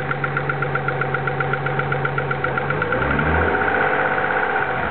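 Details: Steady idle with a light, fast ticking about four a second over the engine note, suspected lifter tick, recorded before an oil change and adding a quart of ATF to clean the lifters.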